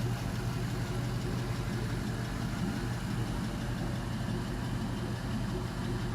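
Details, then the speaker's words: LM7 5.3L iron-block V8, 862 heads, 151k miles, after start: smooth even idle ~700 rpm, oil pressure about 44 psi, steady deep hum, no knocks, ticks or misses; normal idle. "So settling down nice already, 700-ish RPM."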